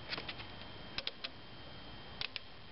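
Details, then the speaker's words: Car that won't crank, under-hood starter relay felt while a helper turns the key: crisp light clicks in groups of two or three over a faint hum; relay switching normally, problem is elsewhere. "so that's operating so our problem is elsewhere"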